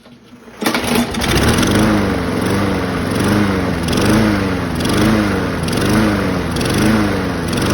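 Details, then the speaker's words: 2004 Craftsman 917.374430 mower, B&S 6.75 HP (125K02-0371-E1), running after fitting a found spring on the linkage: speed rises and falls about every three-quarters second, surging; owner suspects dirty carburetor or the added spring, unconfirmed. "I just said it surges up and down. Uh probably cuz the carver is dirty."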